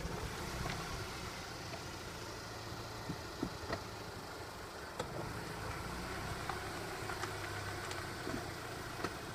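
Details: 2008 Audi A4 B8 1.8 TFSI: two sharp, isolated clunks about five seconds apart when pulling away in first gear or reverse, sometimes also when accelerating from low revs with the engine laboured.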